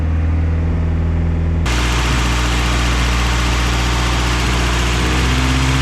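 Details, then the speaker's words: Newly bought project car, idle air control valve had fallen off, gasket redone and reassembled; petrol engine holds a fast, steady high idle that never settles; idle air control valve has gone bad and needs replacing. "she's still right idling high but at least now i know what to replace idle air control valve's gone bad so whatever"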